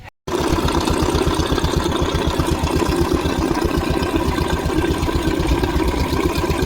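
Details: Royal Enfield single-cylinder: steady, even thumping at about four beats a second with no added knocks or rattles; smooth normal idle.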